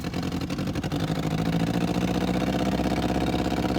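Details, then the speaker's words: Abandoned 1964 Volkswagen dune buggy, twin-carburetor flat-four, still warming up after start: lumpy galloping idle, uneven beat about four times a second, one cylinder not firing, running on three; misfire, cause unclear, has previously backfired badly. "That doesn't even sound like all 4 cylinders. I don't know what it sounds It's not, it's like 3. It sounds like a gallop."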